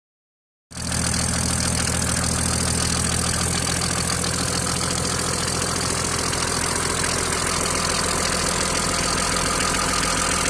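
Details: Mercedes-Benz W463 with OM603 turbodiesel, after oil loss, oil pressure and bearings OK, loosening injectors didn't help: steady very strong knock about three to four per second over idle clatter, rises with revs, disappears with clutch pressed; cause unknown.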